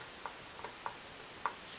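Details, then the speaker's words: 2016 Honda Foreman 500 Rubicon ATV during a top-end rebuild: sharp, irregular metallic clicks as the piston is rocked up and down by hand, showing play in both the wrist pin and the connecting rod at the crank; owner believes the crank will need work. "can hear it right there feels like it's got play in both the wrist pin and the arm and the crank so I believe this thing's gonna need to crank sure"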